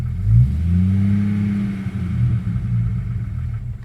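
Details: 1997 Jeep Grand Cherokee Laredo, 4.0 inline-six: engine revs up and holds, then runs choppy and uneven as it falls back, misfiring and backfiring, cutting off; misfire possibly from engine computer connectors not making good contact.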